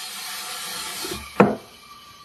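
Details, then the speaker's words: Morgan G-100T injection molding machine: short scraping rub, then one solid clunk as the toggle clamp snaps over centre after mold height adjustment; locking normally with good clamping force. "gave a nice clock when it went over Center okay let me yeah quarter turn and see what happens at the clock okay that's even better so that means it will have nice clamping force"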